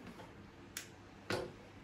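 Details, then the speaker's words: Sylvania StreetLED MK3 4000K LED street light fitted with a standard NEMA photocell on a sunny day; two crisp, quiet relay clicks half a second apart, heard up close, as covering and uncovering the cell switches the light on and off; normal. "there we go you can actually hear it clicking I'll hold this up close so you can hear it click yep that's it clicking on and off"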